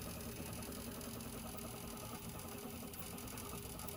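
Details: Prusa 3D printer, usually very quiet, grown noisy printing infill: busy buzzing stepper-motor whir with fast rattly chatter as the head sweeps back and forth; excessive noise during infill printing.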